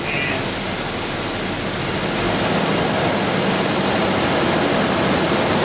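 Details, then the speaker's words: 1992 Daimler Double Six V12, warmed to operating temperature, checked for an odd sound at certain rpm: smooth, even idle with a soft steady hum and no ticks or knocks; normal idle. "it's running nicely now no no weird sound at all i did let it warm up before so this is pretty much a buffering temperature"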